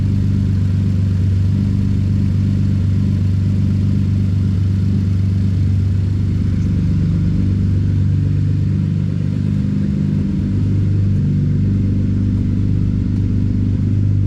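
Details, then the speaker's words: Ford Explorer Police Interceptor Utility, first start after twin turbo replacement: very loud, raw, deep unmuffled roar with a rough clattery edge; exhaust not hooked up, nothing coming out of the exhaust pipe. "Oh, I don't think it's hooked up. That's why. >> There's nothing coming out of the exhaust pipe."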